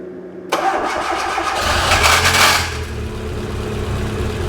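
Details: Fiat Uno Turbo: engine fires and catches but a high metallic whirr rides over it for about two seconds before fading; starter motor not retracting, engine itself smooth.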